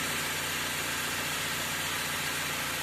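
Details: 2013 Dodge Avenger, low-mileage ex-fleet car, idling after an oil pan replacement with no leaks seen: a steady, even hum with no knocks, misses or rattles, just a smooth idle under some background hiss. Normal, healthy idle.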